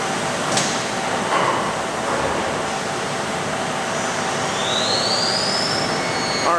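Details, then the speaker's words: Live tool on a machine making pocket clips, spinning at 6000 rpm: loud, constant roar with a gear and bearing hiss holding steady at high speed. Normal for this live tool, whose many gears and bearings make it sound like that. "first of all I apologize for the loudness of that machine that way it's the one of the live tools we're making saga pocket clips on that machine its roar in a way at 6000 rpm there's a lot of gears and bearings and stuff that just it just sounds like that"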